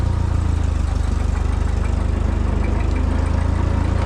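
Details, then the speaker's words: Small engine machine after sitting all winter, warmed up: steady, even low thump about three beats a second with no misses or knocks; healthy warm idle after it fired right up. "she just fired right up good old girl"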